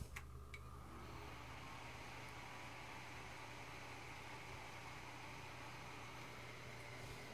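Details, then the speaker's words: Core 2 Quad PC on a Gigabyte motherboard with a GTX 260 installed. The card's fan blows at constant full speed. Steady fan roar over a low hum; the owner suspects the fan or PC can't handle it. "okay the 260 is pushing out air at full speed why okay I've gone ahead and disconnected the front fan maybe in combination with the graphic card the fan can't handle it or the computer can't handle it"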